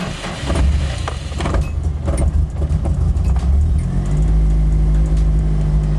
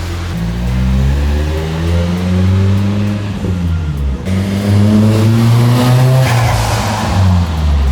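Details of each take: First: Nissan 240SX (Sil80) misfiring since refuelling, before fuel pump replacement: slow, labored four-second crank into uneven idle; fuel starvation from loose in-tank pump hose, missing insulator, pump hanging; fixed with Walbro 255 pump. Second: Nissan 240SX after fixing boost breakup from fuel starvation by fitting a Walbro 255 in-tank pump with secured hose, clamps and insulator: starts immediately, pulls strongly and cleanly through the gears under boost without stumbling; healthy engine under acceleration.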